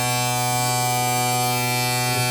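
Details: Former tanker truck now flatbed, switch just flipped on the farm: loud steady low-pitched electric buzz, the low air pressure warning sounding while brake air builds; oil pressure came up slow but good.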